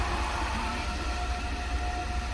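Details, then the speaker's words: Water transfer pump emptying a fill tank into the storage tank under an off-grid house, left running after the last 20-30 gallons drain: steady electric hum with a thin higher whine and no water load as the pump runs dry. "I'm going to let this run so this pump goes dry."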